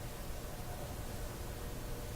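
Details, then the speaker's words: Westinghouse 1398 AM/SW/FM tube radio after three bad or weak FM-section tubes were replaced: a steady, even hiss with no station, hum or crackle, which is normal FM interstation static. "well you know we're getting that FM uh static that you normally"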